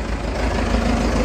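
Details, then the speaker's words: Case 8840 old diesel: settles into a steady, even low rumble at idle with no knocks or misses; runs good, probably uses a little oil; normal idle. "um yeah it runs good probably uses a little oil but"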